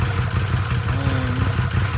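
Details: Arctic Cat Wildcat 1000/X side-by-side after starter gear upgrade and starter boss reinforcement: steady low idle with an even beat, no knocking or grinding; engine running normally.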